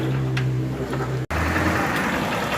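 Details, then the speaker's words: Honda Fan 160 motorcycle, nearly new, at idle: steady single-cylinder idle with light even ticking from the top end, normal valve clatter for this model; no valve adjustment needed. "tá tudo ok pessoal tá tudo preocupado com esse barulhinho aí não precisa meu filho a sua moto tão luxo pode ficar tranquilo"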